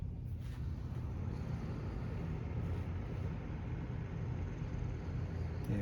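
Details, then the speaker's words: 1997 Windmere Turbo Fan WTF-7, cleaned, on low speed: quiet, steady hum at constant speed; intermittent faint rubbing noise, suspected rotor touching stator, is barely or not heard here; runs normally. "I don't hear it so that's a good maybe a little bit I can't really make it up so that's good"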